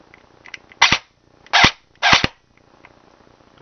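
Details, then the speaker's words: Airsoft version 2 gearbox on bench test after reassembly: three short harsh raspy cycling bursts with burning smell; motor height misadjusted so pinion meshes badly, better after backing motor off — rough gearbox cycling from misadjusted motor height. "that really doesn't sound right well sounds horrible smells like that so that's not good let me back this motor off a lot take out my motor b or whatever you want to call it because it really does not sound good"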